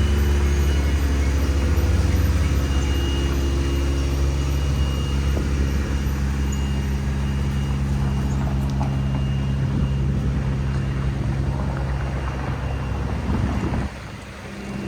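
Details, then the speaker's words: 1987 Toyota MR2, 1.6L DOHC fuel-injected four-cylinder, 5-speed manual, about 42,000 miles. On a cold start it has a smooth, even fast idle around 2,000 rpm that drops as it warms. A normal high cold idle. "These idle around 2,000 RPM when they're cold, and then as the engine temperature increases, the RPM drops a bit. So that's why you hear the high RPM."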